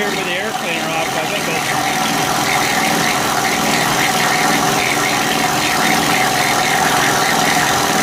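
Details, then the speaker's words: Honda EU3000is generator, reassembled with old gaskets, started on choke, sounds a little weird: steady run with fast tapping, about three or four per second; owner thinks it's from the crankcase, unsure if normal. "some of that noise actually coming from the crank case i don't know if that's normal or what i don't have anything to compare it to"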